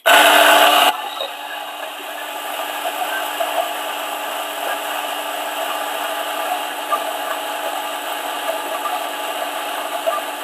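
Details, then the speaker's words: DF64 coffee grinder grinding a 16.9 g dose: after a loud start, a steady, even whirr with the fine crackle of beans, taking much longer than the G64. Normal grinding, just slower. "right as you can see it takes uh much longer for ds64 to grind the coffee as compared to the g64"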